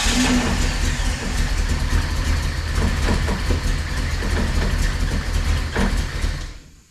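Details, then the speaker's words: 1998 Jeep Wrangler with newly installed engine, still no oil pressure, timing possibly a little off: uneven, stumbling lumpy running that never settles then dies; rough running traced to a bad crankshaft position sensor. "Still got no oil pressure and it's running a little rough."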